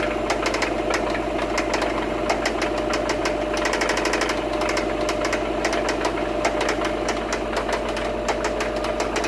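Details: 2002 Subaru WRX engine ticking: sharp light ticks, roughly two or three a second, ride clearly over the running engine; cause unknown.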